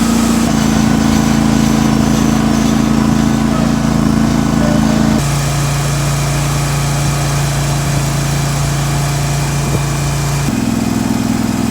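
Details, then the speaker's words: John Deere 316 with swapped 18hp Briggs & Stratton Vanguard V-twin, after carburetor and fuel shutoff solenoid repair, warmed up, no choke: strong, even drone at high RPM, no misses, popping or surging; normal high-rpm running. "It's here at high RPM. This thing sounds great."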